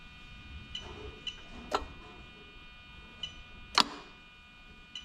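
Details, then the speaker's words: Toyota 1JZ-GTE VVT-i swapped into an Altezza RS200 with plug-and-play harness, engine running: sharp metallic clicks every second or so, two louder snaps, over a quiet hum as the AC magnetic clutch relay cycles; normal AC compressor clutch engagement. "yeah you can actually hear it and i'm thinking because i can actually see it going in and out hopefully you can as well"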